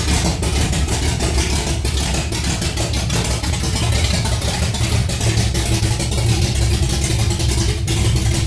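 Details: Holden Torana LX engine on its second start, the day after cam break-in, running straight out of open extractors with no exhaust fitted: very loud, raw, crackling burble with sharp pulses and no muffling at all.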